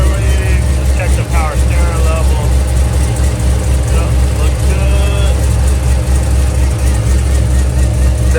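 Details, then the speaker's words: Corvette Z06 V8 with big throttle body and nitrous plate, after water pump replacement, Dexcool refill and new radiator cap; loud lumpy, choppy idle, no ticks, squeals or belt chirp, belt running even, no coolant leaks. "Belt's running pretty even. Not seeing any coolant leaking anywhere."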